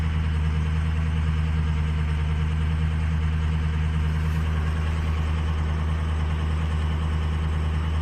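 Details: Diesel truck under a little throttle, with boost being watched: a heavy, steady drone with a faint uneven beat; the owner says one cylinder, apparently number two, is doing nothing, and the engine was slow to pick back up.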